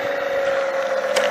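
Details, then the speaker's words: Pump tried direct, on different phases, with and without stabilizer: motor hums at constant pitch without cycling off, ignores switch, pressure weak; owner suspects it can't build pressure to shut down, cause unconfirmed. "вот видите не выключается как будто вы не может создать необходимое давление не знаю как там это все работает"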